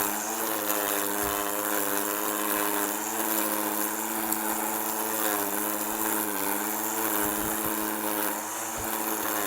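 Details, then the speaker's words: Two-stroke string trimmer edging a yard after a line-feed problem was cleared: a steady buzzy drone with an even growl as the line bites, no surging or bogging, showing plenty of line fed out and cutting properly. "if you hear that growling noise that means you got plenty of line fed out and it's doing its thing"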